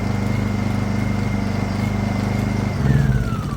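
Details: Honda EU2000is inverter generator, revived after long storage, started while checking the hour-meter flashes (no flash shown): even thrum whose pitch eases down smoothly as the inverter settles, nothing rough or misfiring; normal start and run.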